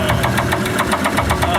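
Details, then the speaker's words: Used Mercruiser 3.0 in a 1974 VIP Tri-Hull 15-foot runabout boat, spun a rod bearing on first outing: sharp, regular metallic knocks about eight per second over the running engine; rod knock. "The original engine was locked up, so we bought a used one off Craigslist, got it running, and the first time we took the boat out, it spun a rod bearing."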